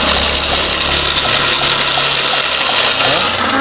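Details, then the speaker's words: Honda Revo FI fuel-injected motorcycle cranking on the starter with ignition on: steady high-pitched starter whir, never catches; no spark and injector not spraying, though fuel pump hums and FI light is on; ECU tested good on another bike. "Kak on double starter"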